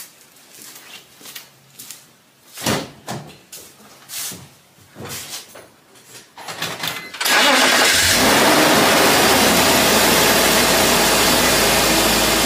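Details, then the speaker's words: BMW E46 with M54 engine after replacing idler and belt tensioner pulleys: handling noise, then starts and settles into a smooth, steady idle with no belt chirp or squeal. "sounds good to me now we all done"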